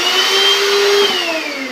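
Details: Kenwood mixer grinder from Dubai after repair: A high, steady motor whine holds even, then its pitch slowly falls as it winds down: running normally.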